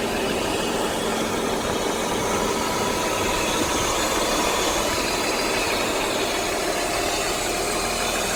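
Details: BMW E39 528i six-cylinder after fixing a ticking/knocking: even, smooth idle with a faint steady hiss and no tick or knock; cause was a loose injector (damaged top o-ring) plus an exhaust leak at the SAP check valve.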